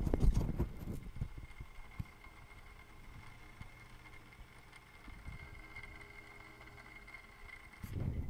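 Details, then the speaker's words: Hot-water hydronic heating circulator pump, microphone held to it: faint steady low hum with handling knocks; it runs now but only started after being jiggled, so intermittent pump judged bad and replaced. "before it wasn't making that sound until I fidget it with it and and now it's running again so I know this pump is bad"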